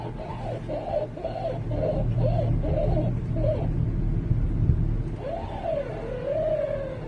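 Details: 2009 VW Touareg at standstill/low speed: wavering moaning groan rising and falling as the steering wheel turns over low idle; caused by the power steering rack, fixed by rebuilding it with genuine hydraulic fluid.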